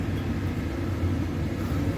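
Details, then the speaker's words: Owner's residential 80% gas furnace startup: inducer motor spins up, pressure switch closes, power passes two rollouts and one high limit; steady even low rumble, no rattles or squeals, normal heating sequence. "so there goes our inducer motor pressure switch closes through all my safeties two roll outs one high limit"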